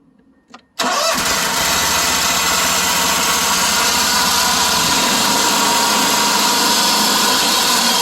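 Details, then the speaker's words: John Deere Z920M commercial zero-turn mower, 627 hours, on first crank: engine settles to steady run with harsh gritty whirring; bad drive belt idler pulley, possibly also drive belt tensioner arm bearings. "Now what I was expecting you guys to hear when I first cranked it up was that I could tell that the drive belt idler is bad. And possibly also the drive belt tensioner arm bearings are bad."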